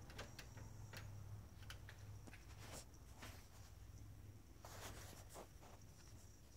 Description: Mercedes Benz 2008 ML350 Buzzing Noise coming from inside engine bay continues long after turned off and parked.